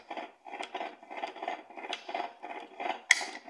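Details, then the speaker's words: Electrolux washing machine, disassembled, transmission turned by hand gives gritty rasping scrapes about twice a second from a worn-out bearing; the transmission needs replacing and the brake part is also cracked. "vai precisar trocar meso o câmbio ó o barulho"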